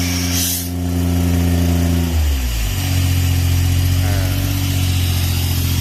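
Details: Airman PDS90 air compressor, 3-cylinder diesel, used import, mostly original; steady even diesel drone settling to a slightly different speed partway, strong airy hiss on top; delivering strong air, running healthy.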